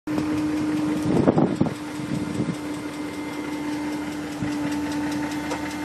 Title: E38 ticking noise